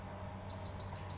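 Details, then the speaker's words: Invisible Fence transmitter with about 100 ft of boundary loop: short high-pitched warning beeps about three per second as the boundary width control is turned down from 10 until it beeps, meaning the width is set too low. "When I set it to 10, I get that loop light that comes on, and it's not beeping anymore. Now, what I need to first do is I'm going to turn this down until it starts to beep."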